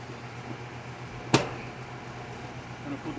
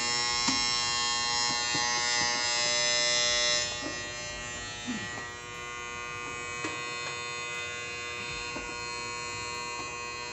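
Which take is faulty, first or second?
second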